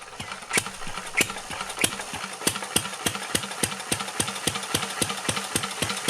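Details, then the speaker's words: 1949 Petter A1 air-cooled single-cylinder stationary engine driving a homemade generator: slow, even chuffing around ninety beats a minute with light tappet clatter; running sweetly, normal. "Okay, I've now got the engine hooked up to the generator, so I'll start it up again and get generating electricity. And then once it's running, I'll shut up for a bit so you can enjoy the sound of the vintage engine."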